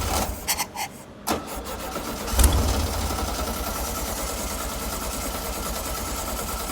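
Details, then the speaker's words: Circa 1967–68 VW Empi IMP dune buggy, air-cooled, revived from a barn: after a few cranking bursts it catches near the two-second mark and settles into a steady, even low putter; healthy running. "Wow, that thing runs good. Sounds good."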